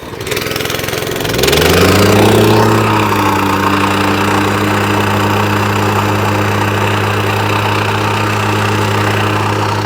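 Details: Wacker plate compactor after refitting a slipped drive belt, started on choke: catches quickly, picks up, then holds a steady even drone with a firm vibrating thump and no misses; now vibrates, running healthy.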